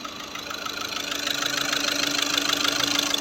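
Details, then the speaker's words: Skoda Rapid diesel at idle after injector replacement, before injector quantity adaptation: sharp rapping knock about two per second, rising in loudness. "Injector replace किया है हमने अ और इसमें थोड़ा सा ना कटिंग आ रहा है"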